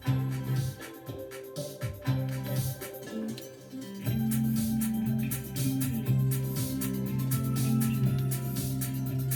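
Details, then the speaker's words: Vintage Telefunken TR 727 amplifier after cleaning controls that had caused crackle and popping: music plays clean and full with solid bass, no crackle or popping; normal amplifier output. "sounds like it's got some good base there decent size transformer"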